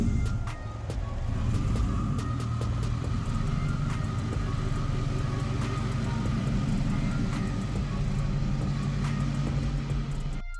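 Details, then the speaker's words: Turbocharged Lincoln Town Car at first start during tuning: loud steady idle with a rough, uneven puffing over the exhaust note from a passenger-side header leak; exhaust leak skewing AFR. "fortunately I'm sure as you can hear we did in fact have a header lead on the passenger side at the time I thought of this gasket pulled it into that later"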